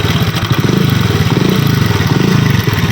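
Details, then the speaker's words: Honda CD 70 motorcycle at idle before repair. A fast, dry metallic clatter rides on every beat of the small single, loudest low down: timing chain and tensioner rattle. "आवाज सुन रहे हैं आप किस तरीके से engine में से आवाज आ रही है"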